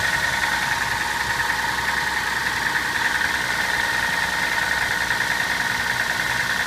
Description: soarer knocking noise when cold big ends possibly?